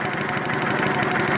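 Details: 2011 Kawasaki Vulcan 900 V-twin at idle: sharp, even ticking about twelve times a second over the idle; loud knocking traced to a loose pulley, not the cam chain.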